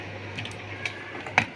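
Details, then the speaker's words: Room heater blower fan running with a low hum and sharp irregular ticks: the indicator cap has come loose and the fan blades strike it while spinning. "तो guys ये इसमें touch हो जाता था और ये आवाज करता था"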